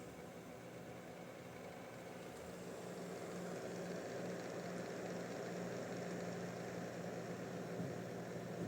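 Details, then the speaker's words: Acer Nitro 5 laptop, before fan replacement and thermal service, overheating with performance drops: steady raspy whir with low buzzing hum, growing slightly louder, from failed cooling fans with worn bearings, due for replacement with new fans. "fanlardan gelen hırıltılı sesi duymuşsunuzdur diye tahmin ediyorum Dostlar bu durum gerçekten kullanıcı için ciddi bir sorun"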